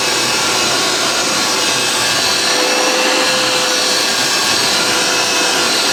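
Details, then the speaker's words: Vintage Hoover 612 upright vacuum after refurbishment, picking up crushed Weetabix test dirt from carpet: steady high-pitched motor roar with a faint tone and light rustle of debris; purr, even and strong. "I think these are slower running, hence why it's got a lovely purr to it."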